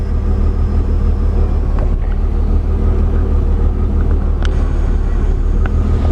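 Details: Mercedes W201 190E, replacement central locking/orthopaedic seat vacuum pump (A1248002848): steady, even low hum with no knocking or rattle while inflating the seat chamber; normal pump operation.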